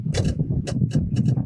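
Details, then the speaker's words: Yacht not started in 10 years, electronics check: sharp uneven clicks, five or six in under two seconds, over a low hum, yet no screen or backlight; something energizes but control stays dead, cause unconfirmed, wiring being checked. "Nothing on the screen. Something's clicking though, right? Yeah. But there's no backlight coming on or anything."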